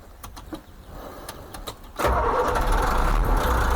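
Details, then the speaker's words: International DT466E diesel truck, engine cold (coolant 68 °C, oil 71 °C), after injector calibration to fix cold-start misfire: brief cranking, then starts cleanly and settles to a steady, even idle without vibration or misses; normal cold start. "Como prende eso, serenito, sin vibración. No, es que el mecánico tuyo es un monstruo. Miren eso. Sin ningún sin ningún fallo de show con el motor frío, como le enseñé."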